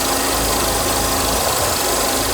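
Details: Mercedes W124 300E warm-up idle after alternator replacement with refurbished unit and belt retension, charging 14.1 V: steady, even idle hum with unbroken engine rush, no knocking or missing; normal idle.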